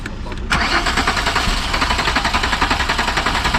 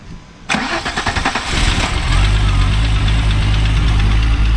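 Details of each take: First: Car cranked with fuel pump running: starter churns steadily at even rate, sounding down on cranking power, but never fires; no start from a faulty crankshaft position sensor. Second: Car after replacing the crankshaft position sensor: quick crank, catches at once and settles into a steady, even idle with no stumbling. Starts properly now.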